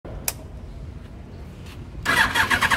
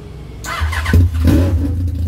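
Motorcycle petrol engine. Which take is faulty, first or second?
first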